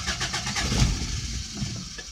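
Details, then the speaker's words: 1988 Toyota pickup, 22RE 2.4L, sat a long time, with a new fuel pump and filter; spark present but no injector pulse. The engine catches, runs ragged briefly and dies when cranked, stalling after start due to a bad airflow meter. "we're going to try to crank it [Music] up see it it runs a little bit but it installs"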